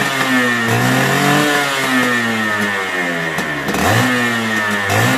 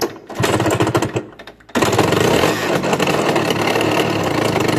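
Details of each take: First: Suzuki Satria Hiu two-stroke motorcycle after repair of a rough noise traced to a loose magneto (flywheel), now seated and tightened: revs blip up and drop cleanly, crisp and even, with no rough rattle; normal running. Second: Suzuki Satria Hiu two-stroke motorcycle: after a stumble the engine settles into a harsh, rattly clatter, loudest on the left side; cause found to be a loose magneto flywheel on worn splines.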